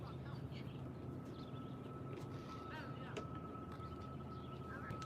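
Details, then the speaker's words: Train rounding Horseshoe Curve, Pennsylvania: thin steady high wheel squeal over a low rumble; ordinary flange squeal, nothing wrong. "So yeah, you can you can hear the wheel screeching uh squealing right now. He's uh rounding the curve."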